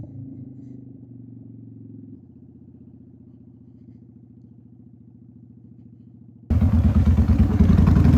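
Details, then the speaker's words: 2001 Honda Shadow VT750 V-twin before carburetor fix, ridden: lopes unevenly at low revs then a harsh, ragged roar opening up, stuttering and hesitating; running very rich, rear cylinder shot a flame from the exhaust. "It's running so rich. You had a flame out of the top exhaust."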